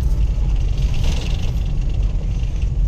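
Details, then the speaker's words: Mitsubishi Pajero 3.8 V6 gasoline pulling strongly under load after fuel pump replacement, which fixed earlier weak pull, no climbing power and exhaust backfire; deep, even rumble with no popping or misfire, full power restored. "Alam mo ang lakas humatak Syempre B6 po ito e"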